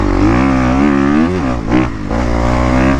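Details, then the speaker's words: New Kawasaki KX250 four-stroke ridden on sand just past its 40-minute break-in: crisp high-revving single climbs and drops cleanly in the upper RPMs, no popping or misfire; runs strong. "though, It wants to be in those upper R's, dude, so bad. It runs really, really good."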